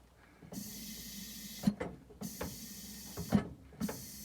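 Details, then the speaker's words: Volvo LM225 snowplow tractor with long-standing weak brakes: long bursts of air hiss at the brake, each ending in a sharp clunk, repeating about every second; the brake tries to move then runs out of air, as the compressor isn't making or holding enough air. "It's trying to move and then it's out of air. So, it's not it's not pushing enough air. It's not making enough air. It's not holding enough air."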